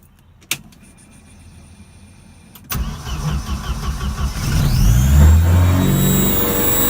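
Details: Volvo B230 engine cranks, catches and revs, with a thin high whine climbing as it picks up. Abnormal noise, cause unclear.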